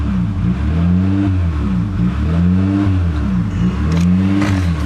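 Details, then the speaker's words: 1998 Honda Accord 3.0L V6 at idle: rpm rises and falls in a steady cycle, hunting idle with check engine light and code P1519, idle air control valve circuit, from a faulty idle air control valve. "But as you can hear, the idle is going up and down, and we actually do have a check engine light on."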